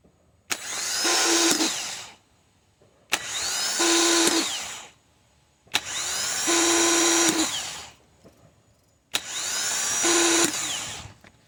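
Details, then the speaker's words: Toyota Camry/Solara 2.4 L (2002–2006) new replacement starter bench-tested before installing: four two-second spin-ups, each a harsh whir with a rough internal scraping; the new starter is defective and is being returned. "Something is wrong with this starter. It's making a horrible noise inside. That's not supposed to happen. This one is also defective."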